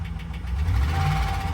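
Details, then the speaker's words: Auction-yard vehicle, 139,000 miles, oil change overdue (service due at 136,000), gauges flashing, possible battery or alternator issue: deep rough idle with a dull repeated knock keeping pace with the engine; knock at idle, cause unknown. "but she's knocking, boys and girls. She is knocking here."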